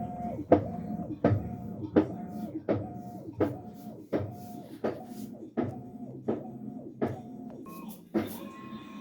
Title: washer making knocking noise during wash cycle